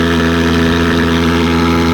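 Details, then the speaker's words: Thermal fogger after cleaning fuel jet clogged by fibres shed from a degraded fuel filter, hard starting fixed: steady unwavering drone, constant pitch, no surging or sputter; starts easier, normal smooth running. "เห็นมั้ยมันจะง่ายขึ้นกว่าเดิมลมนะครับทีเนี้ยเครื่องเครื่องก็จะนิ่งสตาร์ทง่ายขึ้นกว่าเดิม"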